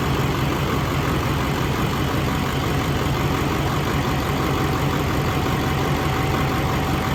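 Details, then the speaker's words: LBZ Duramax diesel swap, first run on a rigged-up temporary fuel system with lift pump: steady even idle clatter, no funny noises, slight occasional lope owner attributes to the lift pump; normal idle. "motor sounds good no funny noises there's a cts2 it's got a little lope sometimes"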